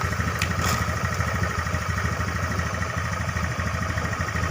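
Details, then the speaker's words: Honda Beat FI scooter, fuel-injected, idling rough with uneven stumbling pulses (~3/s) because the regulator output feeding the fuel pump is abnormal, starving it of voltage; wiring checked normal, before bypassing the pump feed to relay pin 4. "Penyebabnya adalah output dari regulator ini dia tidak normal. Jadi kita akan melakukan proses pembypassan."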